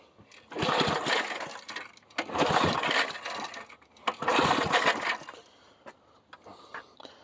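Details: 1990s Sears Craftsman 2400 W generator, choke on: three recoil pulls turn the engine over but it never catches. It had no fuel and later fired once gas was added to the carb.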